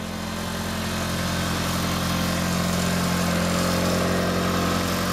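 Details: 1997 Mitsubishi Eclipse after repairing a separated exhaust flex pipe, cold weather: steady, even idle with a low smooth drone and no puffing or ticking from the exhaust; no real exhaust leak remains, only steam.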